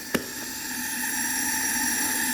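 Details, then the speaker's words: 1974 Yamaha TX500 sitting 27 years in a barn, leak-down test with an air hose into the right-hand cylinder: steady airy hiss building slightly as air escapes out of the carburetor, showing the right cylinder's intake valve is not sealing. "So, I don't think the valves are sealing on the right hand side cylinder. You can hear pretty pretty good there. So, that would be a problem."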